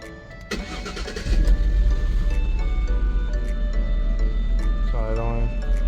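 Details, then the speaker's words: Jaguar S-Type with old gas, new battery, original fuel pump plugged back in after a cracked line: engine catches after a short crank and runs rough with irregular pops, backfiring and stumbles; owner suspects it might not be the right fuel pump. "here the fuel pump running backfire it might not be the right fuel pump for it"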